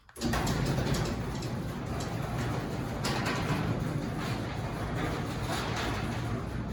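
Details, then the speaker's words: Newly installed Chamberlain B500 belt-drive garage door opener, an after-install test of whether it is quieter: a steady low rumble with a hollow metallic rattle from the door panels, even from start to end. Normal operation. "Now we're going to do an after video to hear the sound since the new Chamberlain garage door opener is installed. Let's see if it's quieter."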